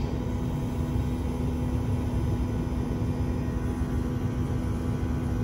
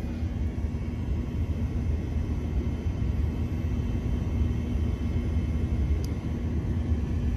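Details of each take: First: Mini-split/VRF system low on refrigerant while R410A is being added; amperage climbs toward 14–15 A with a 55°F suction line. The compressor gets louder as it does more work: a deep, steady hum with no knocking, running normally. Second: Mini-split/VRF system low on refrigerant with no error codes and normal-looking pressures; it draws only 12 A, about half. The compressor and fans turn very slowly, giving a soft low rumble that never ramps up: low refrigerant charge.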